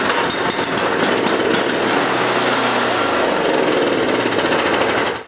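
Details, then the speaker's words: Briggs & Stratton snowblower engine running after starter (pull) rope replacement: loud, even rattle of the single-cylinder engine at steady speed without surging or missing, then cut off; running properly. "And that's good. Now I'll start it up and make sure everything's okay."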